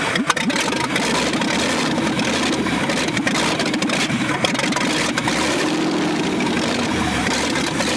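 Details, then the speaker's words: Buried 1965 Ford F100 first revival runs smoothly and steadily with harsh, raspy, very loud popping because no exhaust is fitted; engine sounds good, choke still to be adjusted. "Yep. It ran. Yeah. Yeah, there's no doubt. That's crazy. It sounds good too. I mean, other than it being extremely loud from no exhaust."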